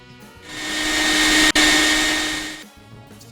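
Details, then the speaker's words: Key turned to on without cranking, engine silent, while diagnosing a no-start: a steady electric whirring hum for a couple of seconds, the fuel pump priming normally. "turn the key to the on position don't try to start it just turn it on and you should be able to hear the fuel pump run for about 15 seconds to your prime"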